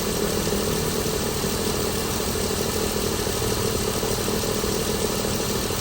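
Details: 2016 Chrysler Pentastar 3.6L V6, stated as about 2017 in a 2017 Dodge Ram 1500 regular cab, idling with a rough clatter pulsing about ninety-odd times a minute over the hum; owner reports a massive cranking noise at start; cause undetermined.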